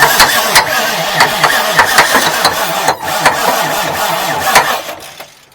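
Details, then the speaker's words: 1989 Marmon truck diesel: labored, uneven cranking at about three beats a second that never catches, then dies away. Oil pressure comes up, the starter gets hot, and the cables stay cool. Slow crank, no start. "that's making oil pressure oh man um"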